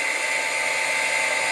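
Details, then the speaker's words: Milling machine VFD (variable frequency drive) on 220 V at first power-up, counting up frequency after Run is pressed: steady high-pitched whirring with sustained tones; the drive's fan sounds loud, cause uncertain. "so what it does is you hit run and as you can hear the fan in that sounds kind of loud"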